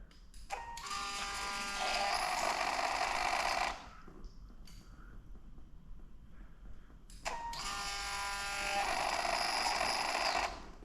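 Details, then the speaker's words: Fuel pump priming after repair of a cracked area, checked for leaks; two clean bursts of steady high buzzing whine about three seconds each, switching crisply on and off, no leaks seen; normal fuel pump operation. "I don't see any leaks. The pump is working too."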